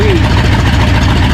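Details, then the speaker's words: Ford F-100 after a V8 swap: steady, even low V8 burble at idle with no misses, knocks or stumbles. A running problem turned out to be the carburetor, and it now idles normally. "ended up just being the carburator I thought maybe I screwed something up but it sounds fine I like it how it just need some"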